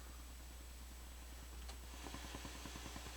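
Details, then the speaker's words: Crown CSC-850F stereo, previously repaired and returned, resting in tape mode at full volume: low mains hum with a fast run of ticking crackles building after a couple of seconds; minor rapid-fire noise, cause not found. "Again, the resting sound is that there. Alright, so it's got a little noise."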